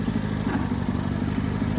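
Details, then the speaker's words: Sears GT18 tractor, old transaxle, starting off under load in third gear: a rough, rapid barking rattle over the engine drone; owner suspects a worn gear or bearing in the transaxle. "when i get up on the hill and there's a load on it kind of barks a little let me put it in a second hear that i mean it still works just fine but i'm thinking there's a gear in there"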